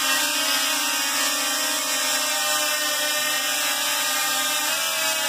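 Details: DJI Mavic Pro drone flying with propeller cage and smaller props: loud, high, steady whine from fast-spinning motors with slight pitch shift near the end; motors seem to work very hard, owner suspects the smaller props.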